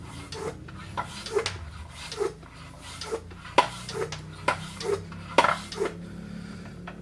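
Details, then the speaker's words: Bicycle tire being inflated toward 100 psi after repair: sharp creaks and ticks about once a second as the bead seats into the rim, which is normal. "i don't know if you can hear it creaking but that's just the bead seating in the rim"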